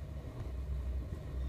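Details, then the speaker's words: Toyota Vios 2nd gen: low, even idle rumble at about 700 rpm with no misses or surges, holding steady with aircon and blower fan running; engine sounds healthy. "ito tetestingin natin maganda naman yung kanyang RPM nasa 700 yung RPM niya"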